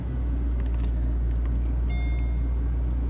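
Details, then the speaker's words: 2007 Mercedes SL550, 101,000 miles, service overdue 623 days, idling just after starting. Deep, steady V8 rumble with no misses, knocks or ticks and a brief electronic chime; it sounds pretty good. Normal idle. "and it sounds pretty good that does sound good"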